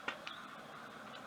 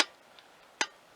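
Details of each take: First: BSA A65 converted to 750: sharp metallic clicks as the throttle slides snap shut, with no click at full twistgrip, so the slides don't reach full open due to poor cable adjustment, causing lost power. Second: BSA A65 after throttle cable adjustment, throttle now opening fully so the slides top out: a single crisp click as the slides close, with no staggered clicks. Twin carburettor slides synchronized.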